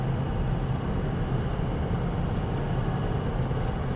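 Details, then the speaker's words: 2004 Ford Excursion 6.0L Powerstroke diesel 4WD automatic, 202k miles, on wet-road test drive: steady low diesel drone, shifts up to fifth undetectable with no clunk, flare or slip; healthy transmission. "third shift undetectable perfect every shift there now we're in fifth gear was Flawless"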